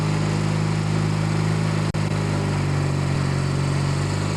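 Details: Kohler 16hp Magnum single-cylinder on a Yard Pro lawn tractor, test run after carb cleanup and reassembly, mixture screws at 1 1/2 turns each; steady even hum at constant speed, no hunting or misses, running smoothly and healthy.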